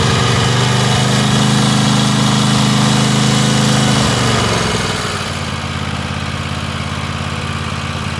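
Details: Free Weed Eater tractor's Tecumseh twin-cylinder (TVT691) on its first run after oiling the cylinders, new oil and oil filter, and refitting the plugs: it started right up, with a smooth drone easing to a lower, even idle after four seconds while warming up; normal idle.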